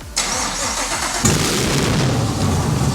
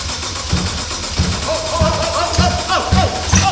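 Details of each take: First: First start of a Gen 5 Chevy LT1 swapped into a vintage BMW, clutch pedal pressed: starter cranks about a second, engine catches and roars into a rough, loud run, then starts but doesn't stay running. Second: First start of an engine swap in a vintage BMW, started with fuel pump prime and start button: starter cranks, engine catches and settles into a strong, steady run; first start healthy.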